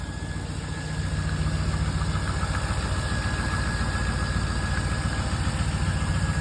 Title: Exhaust leaks fixed ! #lsswaptheworld #c3corvette #c3lsswap